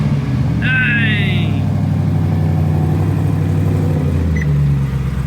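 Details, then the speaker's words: Ford Raptor R rebuild from a rollover, with stock exhaust, fired up again: a deep, even exhaust note holds steady with no misses, knocks or rattles, only a little puff of smoke; the engine runs healthy. "This thing sounds good for a stock exhaust."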